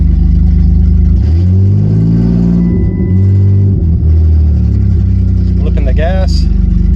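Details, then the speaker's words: 2009 Dodge Grand Caravan SXT during alternator testing, throttle blipped: revs climb but hang and hunt up and down instead of dropping cleanly; hanging idle and surging RPM. "Kind of hanging RPMs. Surging"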